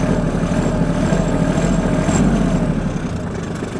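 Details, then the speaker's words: 2006 Kubota GT21 wheel-track tractor, 3-cylinder 21 hp diesel with about 499 hours: a low, even diesel clatter at a steady idle with no surging or knocking, quiet even for a diesel. This is a normal idle. "Это видно по его хорошему состоянию, слышно по работе двигателя. Все работает ровно."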